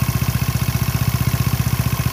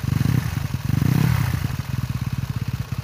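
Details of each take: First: Motorcycle with rough engine noise from the crankshaft pulley area at idle: rapid low thudding about twelve beats a second; worn rubber damper letting crank pulley rattle, fixed with rubber from an LPG gas seal. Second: Motorcycle after the crankshaft-pulley damper was packed with rubber from an old LPG canister: smooth, even exhaust pulses rise and settle with the throttle, and the earlier click when revved is gone. Normal running after repair.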